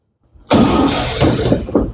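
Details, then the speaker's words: 1962 Chevrolet C20 after new fuel pump and inline fuel filter, previously inconsistent fuel delivery; compression, points, timing set, carburetor rebuilt: short crank, catches at once and settles into a lumpy, pulsing idle, smoking; normal start. "well Stanley's a runner new fuel pump fuel filter"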